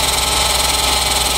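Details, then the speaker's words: Daihatsu Ayla engine, about 5,000 km, sludged oil: harsh rattly top-end clatter over a fast even idle at cold start; oil climbs from the sump to the head too slowly with low pressure, leading to an overhaul. "Nah ini tuh jadi indikasinya itu olinya itu telat dari bawah itu ke atas tuh telat naik ya."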